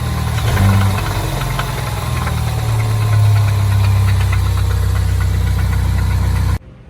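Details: 2015 Ford Mustang 2.3 EcoBoost before engine removal: rough low drone with an uneven rapid knock, about four per second. Owner suspects rockers/lifters in the top end or a rod bearing; the knock's origin is unknown.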